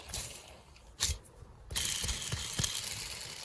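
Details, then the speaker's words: Hand-spun worn gearbox bearing from the front of the layshaft, measured at 10 thou play: quite noisy rough, gritty, rattling whirr instead of a smooth spin; no pitting seen under a glass, just basically worn out. "you can hear it's quite noisy. Now I've had a look at it under a glass and I can't see any pitting or anything in there. It's just basically worn out."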